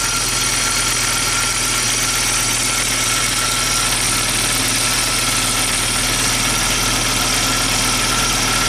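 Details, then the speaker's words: Rare abandoned Audi turbo idling cold, just revived after fixing a blown fuel line: a steady hissy whine sits high above an even idle, a noisy fuel pump, though the engine runs smoothly. "on sweet the fuel pump is noisy but it's running so pretty neat"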